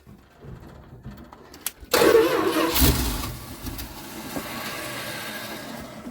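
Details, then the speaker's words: 1973 Dodge D200 truck, 360 V8, 727 automatic, sitting 8 years: starter churns unevenly but never catches; bowls hand-filled, fuel pump pumps but isn't getting fuel into carburetor, so throttle leans it out — fuel starvation. "it doesn't have any fuel in the bowl so when you give it throttle it's just uh it's leaning it out you know what i mean"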